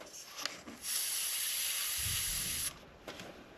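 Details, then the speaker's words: Engine-off brake vacuum booster test on a 1996-1999 Chevy/GMC truck (Tahoe/Yukon): cracking the line lets in a sharp airy hiss for about two seconds, showing the booster is still holding vacuum and its seal. "So, all I'm doing is just moving that and that's allowing air to go in there. So, usually that tells you, okay, there's vacuum there. It's holding the seal."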